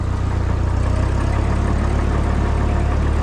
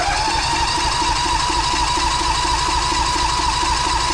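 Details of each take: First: Old machine, first start after sitting all winter on the battery left in, with oil good: a steady low rumble with an even beat and no knocks or misses; it idles smoothly and sounds healthy. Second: John Deere tractor, cold start at 11° after sitting since last fall, old battery running down; starter whines steadily, churning about three times a second without catching; owner suspects flooding, doesn't like starting cold.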